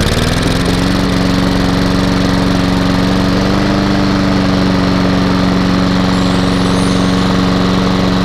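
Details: Hayter mower with a Honda engine, first start after sitting, with petrol in and no leaks. It catches right away and runs a smooth, even drone with no misses or rattles; the engine is healthy, but the drive is not working.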